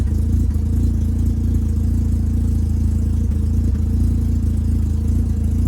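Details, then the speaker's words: 1985 Mazda RX7 GSL rotary after installing Racing Beat exhaust: steady, low, even exhaust rumble at idle, noticeably quieter than the old system, no knocks or rattles; a small leak remains between pre-silencer and connecting pipe. Normal idle. "Like, the car is noticeably quieter, but it still has a decent rumble on idle."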